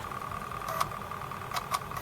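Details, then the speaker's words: Acorn Archimedes A3010 floppy drive: steady whir broken by sharp irregular rattling clicks; owner suspects the drive motor bearing needs oil. "It's alright now. I can still hear a rattling. I think some oil needs to go into, I don't know how you do it, you perhaps have to unscrew this and try and get some oil into the motor that drives this, I think."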